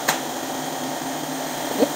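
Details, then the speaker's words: Pneumatic explosion-proof vacuum cleaner on compressed air, gauge above 6, 5 m hose with floor accessory: steady even rush of air with light clicks; higher air pressure gives stronger suction, working normally. "The suction is the compressed air is bigger and the suction is bigger."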